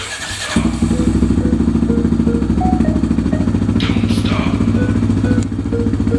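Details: 2002 Yamaha Raptor 660R single after carburetor cleaning and tank flush (previously hard to start, sometimes needing choke), running without airbox: starts promptly, steady even idle thump with no stumbling or hunting; healthy.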